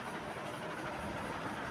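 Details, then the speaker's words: Fan after a bearing service for a loud night-time noise. Only a steady, even rush of air from the spinning blades is heard, with no grinding or ticking from the hub; the noise is fixed. "Alhamdulillah sekarang dah tak ada bunyi eh. Dah tak ada bunyi bis. Hanya bunyi angin kipas berpusing tu."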